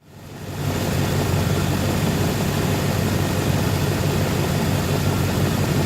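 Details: 1990 Chevrolet K1500, 350 5.7L V8 with automatic transmission, idling: a rough, puffing low rumble, the raw chuffing of an exhaust leak.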